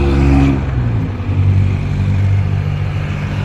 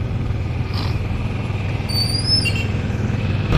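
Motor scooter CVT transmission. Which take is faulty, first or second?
first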